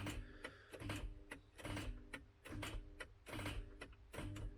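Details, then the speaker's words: MK3 Ford Cortina with seized Kent engine, starter engaged to try to shock the flywheel free: regular buzzing clunks about 1.5 per second; solenoid drops in and out as current shorts, giving a pulsing, chattering effect. "i think what happens is as the current shorts out the solenoid drops in and out you get that pulsing effect"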